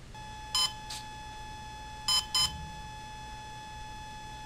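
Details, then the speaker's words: Volcano 30A ESC powered up with the radio stick at mid throttle: short high double beeps repeating after pauses, as the controller wrongly takes mid stick as minimum throttle; fix is lowering the throttle, unplugging the battery and restarting. "okay so what happens when I turn the radio back on and the throttle was in the middle it then sensed that as the minimum throttle setting"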